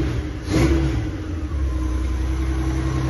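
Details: Honda GL1500 Goldwing engine: revs up and settles back to a steady, even run with no knocking under throttle; normal rev.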